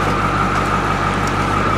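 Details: 1985 International diesel school bus at idle just before shutdown with the pull-out lever: steady, even drone with a faint high whistle, no knock or stumble; healthy engine.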